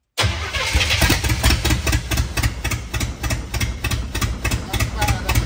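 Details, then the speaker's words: Imported non-running GMC Vandura V8 van while adjusting ignition timing: starter cranks with uneven firing pulses catching a few times a second, engine trying to run. Timing near correct. "okay that sounds more more promising it does should we give it a little bit more I think we give it a little bit more that it's going to be bang on"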